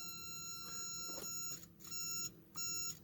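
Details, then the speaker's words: Vintage Micronta continuity tester (Radio Shack, c.1989–90, 9-volt battery) after reassembly, latch and normally-open mode: clean high-pitched steady beep cutting in and out as leads touch; normal continuity beep. "It's in latch and normally open mode, so that should latch on. I think you can hear the beeper and see the LED. Reset works."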